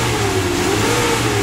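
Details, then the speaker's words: Suzuki Carry 1.5 injection engine, corroded aluminium block, after an overheating repair, reassembly and radiator refill, running nearly an hour: steady, smooth note rising and falling with throttle, no knocks; no more overheating or coolant spurting. "mesin ini Sudah sembuh teman-teman Sudah tidak mengalami overheat dan airnya itu sudah tidak meloncat lagi sudah tidak menyembur ke atas dia sudah diam pada saat kita hidupkan"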